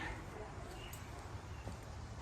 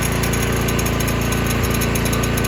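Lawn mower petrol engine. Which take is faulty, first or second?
second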